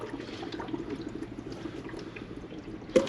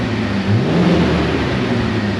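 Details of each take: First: Jeep TJ warming up after repair, air likely still in cooling system: bubbling, gurgling with a hiss surge after shutdown as coolant boils over from overheating. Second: Jeep TJ after trail disaster repairs, coolant system being bled with some air still in it, run about 10 minutes: steady low idle with a brief rev settling back cleanly, no knocks, temperature holding; healthy.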